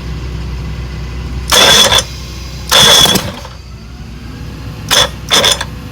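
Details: 1962 Johnson 75 hp outboard with electromagnetic shift, after points cleaning: four short cranking bursts, each nearly catching then dying; turns over but won't start, being diagnosed for hard starting (later found bad reeds, timing).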